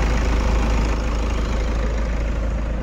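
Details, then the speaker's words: Toyota Innova after alternator pulley replacement for a grinding rattle noise at start: smooth, even low idle rumble with no knock or rattle; the earlier noise is gone and the engine idles quietly. "से बंद करके start करूंगा starting में बराबर है और जो हमारा आवाज आ रहा था वह भी चला गया है"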